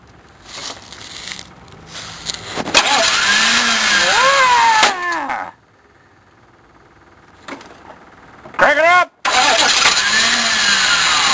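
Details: K5 diesel on a freezing, snowy day, glow plugs used: starter cranks, engine fires and revs briefly, then dies again repeatedly; cold hard start that won't keep running.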